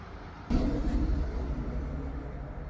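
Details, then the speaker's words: 2007 Mercedes-Benz SL55 trunk after a replacement latch was fitted and its vacuum pump swapped in: a soft thud, then a low motor drone fading over two seconds as the lid pulls down; soft-close working normally. "that if the pump is working right when you do this this supposed to suck down like this so you heard that noise"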